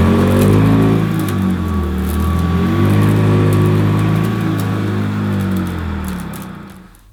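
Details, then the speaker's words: Hoover Decade 80 upright vacuum on the high pile setting on shaggy carpet: motor drone dips and wavers as the agitator brush roll stalls, lifting the carpet; owner finds it too powerful for this carpet. "as you could probably hear her again the brush was stalling now I'm gonna try it again on shaggy it was on high it's just too powerful I can see it literally lifting the carpet up"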